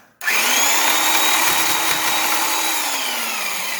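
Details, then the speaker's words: Rockwell/Porter-Cable orbital Tiger Saw cutting wood with an aggressive blade: steady high motor whine whose pitch sags late in the cut as the motor bogs down, though it performed well. "So you could actually hear it bogging down because of how aggressive this blade was, but it did pretty well."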